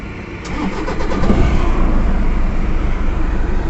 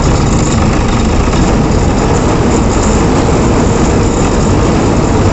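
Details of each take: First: Toyota Innova diesel after fixing the issue behind its malfunction light and heavy engine vibration; cranks, catches within a second and settles to a steady even idle, no shake or misfire; normal start and idle after repair. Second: Toyota Innova diesel with malfunction light on: heavy, uneven vibrating idle that never settles, traced to damaged wiring on a sensor.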